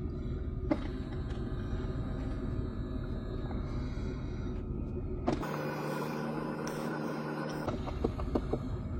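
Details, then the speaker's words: Skoda Octavia Climatronic during basic setting via VCDS: over the engine, steady electric buzz for a few seconds with clicks around it; faulty recirculation (inner/outer air) flap servomotor. "to kliká a bzučí teda Je tam nejaký problém"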